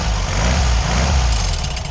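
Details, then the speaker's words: VW Beetle (Fusca) air-cooled engine idling without the pulley guard, after the alternator checked quiet: a steady rough scraping hiss over the low rumble as the crankshaft pulley rubs the shroud tin. "É a blindagem. É a latinha da blindagem ali. Então é galho fraco, galera."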